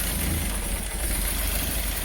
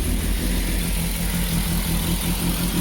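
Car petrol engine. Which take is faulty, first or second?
first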